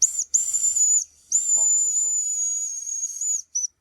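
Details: Mamod steam wagon, fire lit: shrill, steady high whistle in long blasts with brief gaps and hiss, showing the little boiler has reached working pressure. Owner suspects a cylinder fault because the engine won't run backwards.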